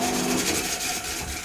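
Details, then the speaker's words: 20-plus-year-old Beko washing machine on high-speed spin, which had stopped mid-spin with a tractor-like noise; harsh, uneven rasping and scraping; technician suspects motor problems, and there are rust streaks from the bearings. "насправді цей звук мене теж не влаштовує і я це почув одразу це схоже на те що в нас є проблеми з мотором"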